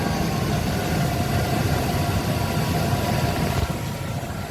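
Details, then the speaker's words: 1999 Chevrolet Tahoe at pre-purchase inspection, newer battery: engine fires right up and settles into a smooth, quiet, even idle with no knocks or squeals, not rough by hand; AC compressor clutch rarely cycling; normal idle. "So, fires right up. As you can tell, newer battery. Uh, sounds good. Quiet. Putting your hand on here. It's smooth. It's not rough."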